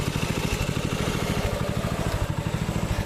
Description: After the clean and rebuild, the Predator engine, fired right up, breaking it in nice and slow, letting it idle, then bringing it up to governor speed, runs smooth, no smoke or bad sounds,